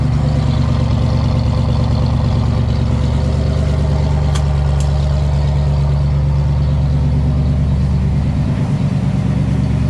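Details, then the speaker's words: 1967 Ford Fastback with a 289 V8 and a new cam, revived after sitting and showing high oil pressure: a deep, steady idle lope with an even beat and only faint lifter tick; it sounds healthy, and the timing is about to be adjusted. "all right we're gonna set up a fan get some of this crap flowing out of here so this car can sit and idle it's definitely sounding nice you'll kind of hear the lifters a little bit"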